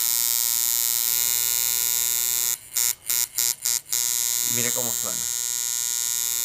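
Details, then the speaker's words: Coil tattoo machine retuned for shading, contact screw adjusted for the largest figure eight and long stroke, steady high-pitched buzz with firm even punch and brief stops; properly tuned, running smoothly. "वहां हमारे पास एक अच्छा पंच है, देखो यह कैसा लगता है,"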